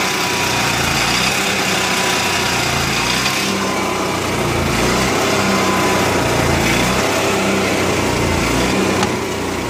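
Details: Onan MicroQuiet 4000 generator with clean carb, new air filter, constant fuel pump flow and near-new spark plug: engine idles fast with an uneven, lumpy beat that surges and dips; rough idle, cause not found.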